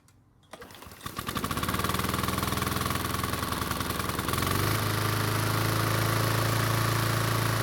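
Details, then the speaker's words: Toro commercial mower that wouldn't start unless gas was put in the carb throat; the fuel shutoff valve had been left closed and the choke flap was fixed. It cranks, catches after a second and settles into a steady, even beat: running healthy. "after fixing the choke flap it looks like the engine is starting just fine now and it turns out the fuel valve is also working as well now"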